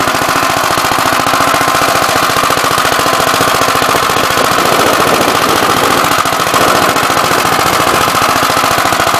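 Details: "Big Blue" 53 L single-cylinder engine after a plate patch on the cylinder, outside on a windy 24-degree morning: sharp, rapid barking at a steady rate with no misfires, rattles or knock, running strong. The oil pump leaks.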